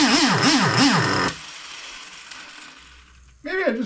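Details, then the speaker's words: Freshly rebuilt 3.3 engine with new bearings, carburetor mixture being adjusted: revs swing as the throttle is worked, then it dies and restarts only with throttle held. It won't hold idle; the owner suspects carburetor adjustment. "But it's not uh it's not [ __ ] staying idling."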